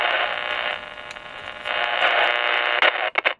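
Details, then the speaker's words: Maco (Matsushita) Model T-50 six-transistor portable radio: a rough crackling hiss cuts in and out in bursts as the tuning dial moves, because the tuning capacitor plates are touching and shorting and need fixing. "Yeah, we got some touching plates on the banana slicer right there. Right there. We have to fix that."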